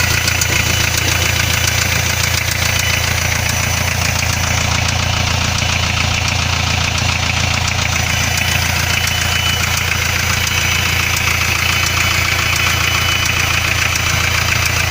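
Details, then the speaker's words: Hyundai 2.5 TDI diesel at idle: a loud, steady knock about 3.5 times a second, absent when cold and sounding like a valve with excess clearance. With the sump off, the No. 3 con-rod bearings were found spun; the turbo is blamed. "начинается появляться легкий стук как будто стучит клапан с увеличенным зазором"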